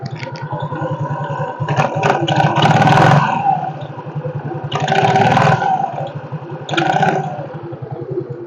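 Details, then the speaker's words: Yamaha X-Ride automatic scooter with sluggish acceleration: metallic rattle from the CVT grows louder with each throttle burst; suspected front or rear pulley, possibly a damaged roller housing, not yet confirmed. "suara kletek kletek kletek kletek kletek seperti itu ini bisa di bagian depan atau di bagian poli belakangnya"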